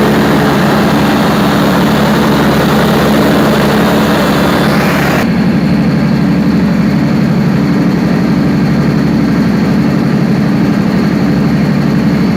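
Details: Perkins 4012 diesel after general overhaul, pre-lubricated before start, during load testing; deep even drone holding steady speed under load, no knocks or rattles, a sound, healthy engine.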